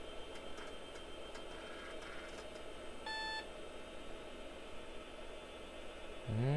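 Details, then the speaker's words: 486 PC with floppy drives: a single short, clean beep of about a third of a second over quiet fan noise as the Bon Appetit recipe disk program, run from drive B, demands insertion in drive A; an error beep. "it doesn't like that. Oh, insert recipe disk in drive A, enter a key. So, it doesn't like it running from B."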